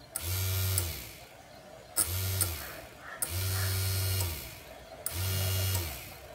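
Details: 775 12V DC motor switched by an IR sensor relay module: four short bursts of even low hum, each starting and stopping cleanly as relay switches; motor runs smoothly.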